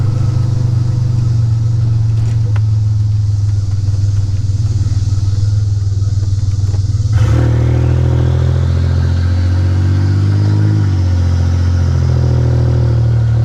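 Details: 1985 Nissan 300ZX Turbo (Z31) driving after new spark plugs and wires and replacing a torn intake/charge-pipe hose, after a boost leak or the plugs caused misfiring under boost: loud exhaust drones steadily, then pitch climbs smoothly pulling hard, no stumbling or cutting out under boost.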